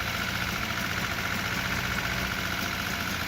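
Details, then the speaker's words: Lada after engine rebuild, first start and test drive, after fixing a bad starter ground: uneven, lumpy idle with a steady hiss, stumbling rather than smooth; rough running. "it's not working really great at the point when we installed the engine"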